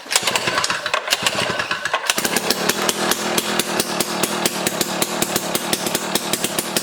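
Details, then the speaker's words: Jiffy Stealth STX 10-inch ice auger with a 3 hp Tecumseh two-stroke and chipper blades, on fresh 91 non-ethanol fuel and choke. It sputters briefly, then picks up to a sharp, regular two-stroke beat that holds steady; it runs well, loud and popping. "she really spins holy mackerel so all right so the jiffy here is running good i mean we put fresh fuel in it and then it was popping off and definitely very loud"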